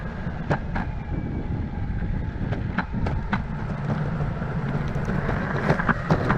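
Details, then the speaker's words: Verreal RS electric skateboard with urethane wheels riding over cracks and rough asphalt: loud dump-truck-like rumble with irregular sharp clacks; motors barely audible, the whole deck rattles. Owner thinks softer cloud wheels would help. "over cracks and on rough asphalt this thing sounds like a dump truck going down the road so the motors aren't loud but the entire board is louder than the heck"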